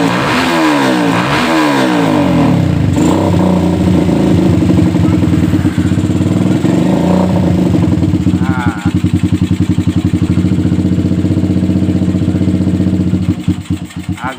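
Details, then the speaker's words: Stock Suzuki Satria FU 150 single-cylinder before porting, owner says it is standard: repeated blips where the revs climb lazily and hang instead of snapping up; a dull, slow-responding engine. "sedikit telat ya Ini kata si pemiliknya masih standaran ya"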